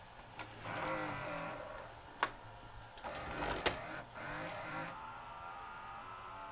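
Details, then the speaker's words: Sharp VC-H972 VHS VCR, bought new around 1996–97 and sat about 20 years, still won't load: faint noisy loading motor whirr straining with clicks, never finishing travel; loading motor drive slipping, not eating the tape. "Loading motor is noisy. Let's give it another try. Oh, finished that time. Not quite. Maybe the loading motor is slipping."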